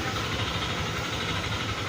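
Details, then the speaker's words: Yamaha NMAX V2 scooter whose block was replaced at another shop but is still noisy: idle rises and falls, with a rough hiss and uneven beat; battery lights flicker, 12.1 V at idle, 13.5 V with throttle; unstable idle. "Ito ba yung ano water yan ' ba papansin niyo taas baba yung menor nito at ang concern pa ng ating customer yung battery niya ayan niyya ilaw kurup-corap kasi nga doon sa idle niya hindi siya stable"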